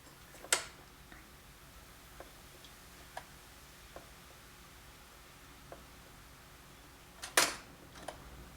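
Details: Realistic LAB-420 turntable, long-stored, powered on at 33 rpm: faint, sharp, unevenly spaced ticks about once a second with an occasional louder snap at one spot in rotation; start/eject not working, changer mechanism clicking.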